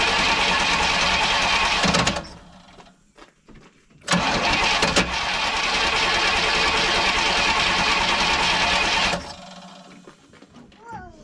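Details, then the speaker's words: Pontiac with freshly rebuilt Holley 600 vacuum-secondary carb: starter cranks in long even bursts but won't catch; new dry float valve sticking, fuel pouring in and flooding engine. "Yeah, it's flooding that carb up. You just see it pouring in there."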